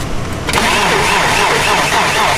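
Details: BMW E30 starting: quiet, then the starter catches and it fires at once into a steady even run with no misses. Restart after the battery came loose in traffic; a security system had kept the car locked.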